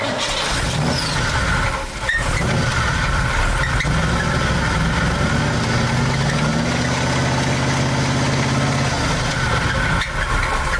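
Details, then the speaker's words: Numbers-matching big-block Corvette idling with a deep rapid knock on every turn; oil present but dirty, judged no oil pressure and rod knock. "That folks is what? No oil pressure and rod knock sounds like."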